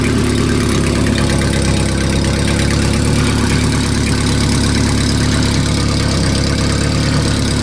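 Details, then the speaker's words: Renault R10 that sat under a pine tree 20+ years, first start after new points, repaired broken points wire and cleaned carburetor, cool engine with no coolant: smooth even idle; owner suspects an exhaust gasket leak. "what a great little engine this sounds like it needs a an exhaust gas turd gasket"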